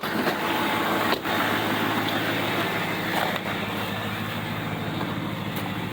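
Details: 2007 Chevy LBZ Duramax diesel pickup, 89,000 original miles, cold idle at about 5°F after sitting about two weeks, one good battery, started on a single glow-plug cycle; even steady diesel clatter with no misses or knocks, heard with window cracked for exhaust; normal cold idle.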